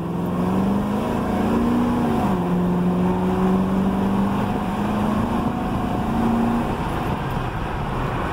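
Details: Road Runner V8 driving after a front wheel hub bearing replacement: steady drone rising and falling smoothly with throttle, no clicking, clacking or growl from the wheels; the new hub bearing sounds healthy.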